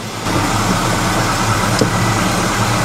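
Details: Volvo 740 finally starting in an enclosed space; smooth even idle with steady low hum, no knocks, misses or surging; engine alive and healthy, very light clutch.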